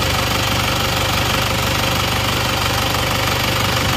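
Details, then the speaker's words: Isuzu Panther diesel just after an engine repair that cured its blow-by: steady idle with an even clatter about three times a second, no misses or extra knocks; with the oil filler cap open the blow-by is gone. "Alhamdulillah mesinnya halus ternyata ini suaranya seperti ini suara mesin seperti ini rata ya"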